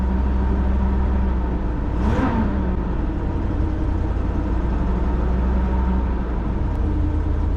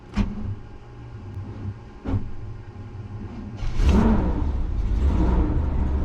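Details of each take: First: 1990 Fleetwood Bounder Class A motorhome, Chevrolet 454 big-block V8, cold start after sitting overnight; deep even rumble, smooth steady idle, one brief whoosh; quieter after timing was reset, though some noise still heard up front; starter suspected failing. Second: 1990 Fleetwood Bounder motorhome, Chevrolet 454 big-block V8, cold start after sitting since yesterday: starter grinds over slowly and unevenly before the engine catches into a rumbling idle; starter suspected to be on its way out, timing recently improved.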